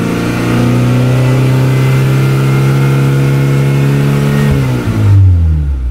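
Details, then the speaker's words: Honda Accord Maestro CB7 with swapped F22B1 VTEC engine, iridium plugs, VTEC crossover set to 3800 rpm; revving in neutral, pitch climbs evenly then hardens near the top: normal VTEC engagement. "vitec yang sudah on teman-teman bisa dengar sendiri ya tadi Kalau kurang kedengeran teman-teman bisa menggunakan headset untuk mendengarnya"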